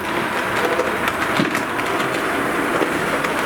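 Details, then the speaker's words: Rapido HO Royal Hudson model locomotive on DCC, first test run: steady soft whirr and rolling hiss with no stutter or surging, slight humming at start-up from the decoder; running quiet and smooth. "once this moment movie it is very quiet it is very smooth runs quite well"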